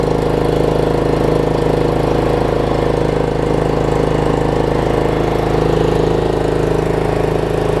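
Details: Troy-Bilt Pony riding mower, unidentified small engine (possibly Loncin), just started on a known-good battery: single cylinder settles into a steady, even run, about three beats per second, no misses; healthy.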